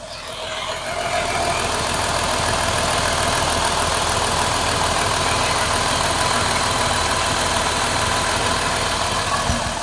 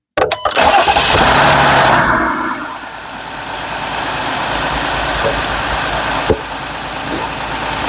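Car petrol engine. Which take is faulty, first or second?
first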